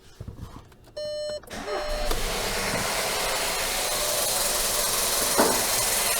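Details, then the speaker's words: Skoda Yeti 1.2 TSI turbo petrol chain engine, owner complains of terrible knocking and valve-cover rattle: chime, then engine fires into a loud, busy metallic clatter over idle; stretched timing chain suspected, high-pressure fuel pump also noted. "вот и проблема стара как мир очень очень громко работает мотор сейчас запустим покажу"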